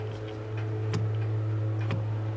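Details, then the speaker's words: Enlarged 3018 CNC with 500mm rails: steady motor hum with sharp ticks about once a second as the axis hits bottom on its hard stop before reaching the limit switch; switch may need moving out or tilting. "Oh, I'm hitting the bottom. It worked before, so I may have to move the limit switch out a little bit more, tilt it or something."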